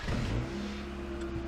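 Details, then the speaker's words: 1992 Honda Accord Wagon, 5-speed, restarted after five years sitting in a yard: short hard rev with a coarse, uneven, raspy note; rough-running engine, cause not pinned down, plus a definite power steering whine. "and the car is nice and Lively it sounds like crap and the power steering has a definite wine"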